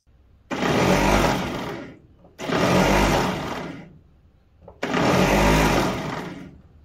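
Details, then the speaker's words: Model A Ford starter: three bursts of free, rising whir with no cranking behind them; the starter motor spins but its Bendix gear doesn't engage. "so now I got a little problem with the starter the motor's turning but for some reason the gear is not engaging"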